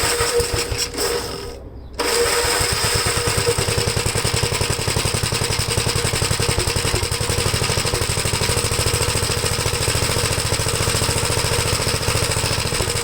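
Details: 1973 Gravely C8 running a donor single-cylinder engine with a Fairbanks-Morse magneto after a swap and ignition timing work; the owner is unsure whether the governor is hooked up or adjusted right. After a brief quiet gap it catches and settles into a steady, even thump of about three beats per second: running normally.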